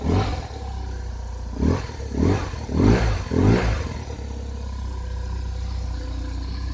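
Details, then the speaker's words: BMW R1100 RT boxer started cold with choke on: a few quick throttle blips settle into a low, even, quiet idle with no tapping or roughness. Starts like clockwork; normal idle. "Сейчас заведем, послушайте. Заводится как часы. Холодно еще."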